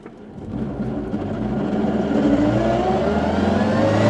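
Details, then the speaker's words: NA Mazda Miata with GearMotive ZF straight-cut dogbox, pulling in first gear: a clear gear whine climbs steadily with road speed, the normal straight-cut dogbox sound. "Dude, it sounds just like the cars in the video games. That sounds so gnarly. That's normal."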